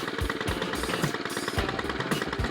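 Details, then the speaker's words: Stihl FS 91 two-stroke trimmer after overdue tune-up and new spark plug, primed five pumps and cold-started: slow, lumpy popping idle with uneven gaps, close to stalling; idle speed set a little low, needs turning up. "So it's probably idling a little bit low, right? I think so. Yeah, so we could probably turn up the idle a little bit."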